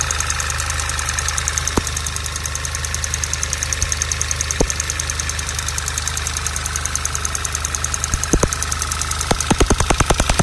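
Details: VW Golf VI GTI TSI at idle: fast, even normal TSI injector clatter with sharper, louder ticks cutting through now and then, more toward the end; an intermittent tick of unknown cause.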